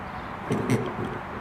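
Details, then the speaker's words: ET6 engine head after loss of compression, cleaned of gunk that was holding a valve open and reassembled: turned over by hand, it seals with good bounce, and faint squeaks come as suction pulls the intake valve open; compression now normal. "Alright, the ET6 head is cleaned and put back together, and now it's sealing. It's got bounce, and you can hear a squeak on the intake from it sucking open the"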